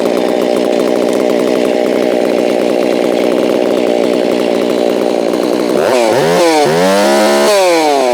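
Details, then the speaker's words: Holztfforma G660 chainsaw losing power at top end, cover on, tach reading 13,000+ rpm: screaming steady high-pitched wail flat out, then pitch dips and hunts; over-revving from too-lean high-speed mixture, high-speed screw opened, then bogs on low. "Oh yeah, that's way too high. So I think I saw 13,000 something there. Open up the high port a little bit."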